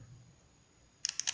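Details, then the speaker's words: VW Beetle relay after repair, bench tested with jumper 30–86 and ground on 85; crisp clicks as it energizes, output present at terminals 87 and 86; normal relay click. "escucha como entre el relevador y verificamos salida ahí está salida en la terminal 87 y 86 entonces hemos recuperado este relevador"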